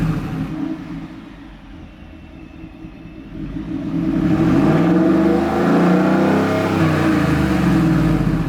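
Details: 2024 Ford F-150 single cab, 5.0 V8, with a fresh Corsa catback exhaust. A deep, even idle burble climbs smoothly on the rev with no ticking or puffing at the exhaust joints; normal idle and revving.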